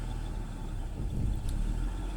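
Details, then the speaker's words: BMW X6 with rough idle and no related fault codes, recorded at the tailpipe after stabilizing: low, uneven exhaust rumble, rpm rising and falling, dropping below 1000 to about 800; mass airflow sensor suspected. "she goes it's having rough idle you can see it right there you can see it going up and down right there"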